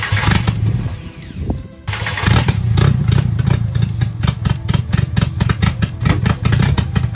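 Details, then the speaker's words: VW GTI 5-cylinder 07K swap, first start after replacing the timing cover and rear main seal: after cranking, the idle stumbles and pulses unevenly with irregular chuffs. Runs very rough, cause undiagnosed. "it starts and it runs but it runs horribly runs really bad does not sound good"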